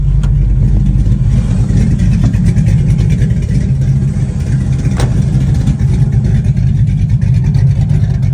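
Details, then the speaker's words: 1988 Camaro with a 4.8 LS and aftermarket cam on ACES Jackpot fuel injection, cold weather: idle tuned down to around 700 rpm, a deep, uneven, choppy loping idle that is normal for the cam. "also if you don't like the way your car is idling at the time we decided to adjust this one down even more cuz the choa Cabra loves like 700 RPM or so"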